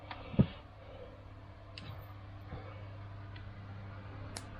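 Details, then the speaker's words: 1969 MGB dry-stored since 2001, being recommissioned: distributor rotated very slowly by hand with spark tester, coil fed from battery; after fixing a bad earth to the distributor body, crisp irregular snapping clicks over a low hum, nearly one-centimetre spark; healthy ignition spark. "bad Earth to the distributor body so we're getting a nice big healthy spark there and you can see that's about getting on for centimeter"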